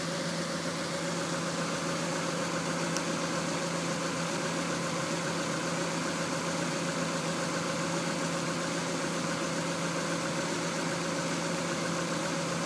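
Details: 1994 Honda Accord after head gasket, milled head, timing and balance belts and new NGK plugs: steady but uneven idle with irregular exhaust stumble; cylinder 4 misfiring with dry plug, car shakes, no check engine light.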